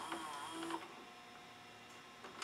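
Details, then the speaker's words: Sony SLV-740HF VHS VCR after cleaning and relubing the gummed friction clutch that caused tape ejection: quiet motor whir and soft clicks as the cassette threads and settles into play, no grinding or stalling; loads normally. "let's power it on we'll put the tape in it and see if we get better results yes"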